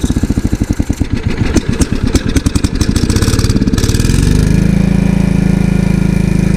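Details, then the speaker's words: Ditch Witch trencher with its small engine swapped in from another frame, fuel still holding some water: fires in slow, uneven pulses and struggles, then settles into a steady drone. The engine bogs under hydraulic load. "all right here we go well Hydraulics bogged it down"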